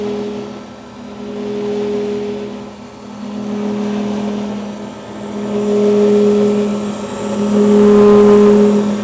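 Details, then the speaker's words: Grizzly G310 milling machine spindle at 2220 rpm: steady motor hum swelling and fading about every two seconds, louder at higher rpm, with vibration; cause unknown. Pulsating spindle noise. "now i'm hoping you guys can hear this pulsating effect that's going on when i turn this on um and like i said when you go faster in rpms it just sounds louder and everything else"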